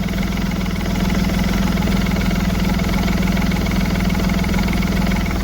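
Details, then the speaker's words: Smart Fortwo 450 CDI 0.8 l diesel just after turbo cartridge replacement with three turns of preload: steady, even diesel clatter at idle, no whistle or grinding from the turbo; turbo spinning freely, healthy idle. "Yeah, turbo is spinning. Turbo is spinning."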